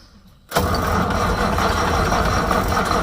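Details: Massey Ferguson 550 diesel tractor, first start since 2019: sudden, steady, rough chugging with no pickup while cranking with injectors 4 and 5 cracked to bleed; won't fire with air still in injector lines, ether next.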